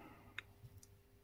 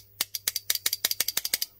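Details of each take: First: Faulty WARN winch solenoid pack on a bench power supply: a single faint click when energized, then nothing moves, because the solenoid armature is seized solid. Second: WARN winch solenoid pack: about a dozen sharp, dry, irregular clicks in under two seconds as the armature snaps in and out freely again.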